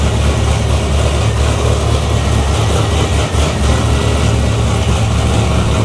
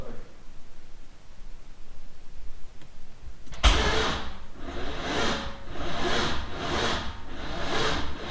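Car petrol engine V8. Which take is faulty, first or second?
second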